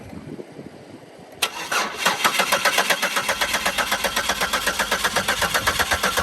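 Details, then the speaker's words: 2004 Buick LeSabre that sat for years, after new plugs, wires, coil packs and mass airflow sensor: steady starter cranking at about four beats a second, never catching; spark present, apparently no fuel, fuel pump suspected. "Alright, I don't think we got fuel. Blake's got a fuel pump on the way, but we're gonna check spark just to make sure that we got some."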